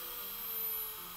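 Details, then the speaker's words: Brushless motor driven by an open-source Arduino-based ESC, throttle raised from minimum: steady high-pitched whine that holds clean and even with no roughness or stutter; motor running normally. "Anytime I increase throttle, the motor will start."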